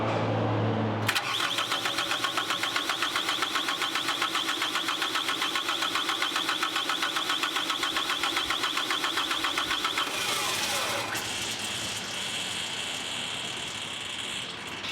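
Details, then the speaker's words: Caterpillar 259D skid steer after engine install, first cranking attempt: high steady squeal over starter chug of about four turns a second; squealing while cranking, cause not pinned down. "I hear something squealing. That's not good."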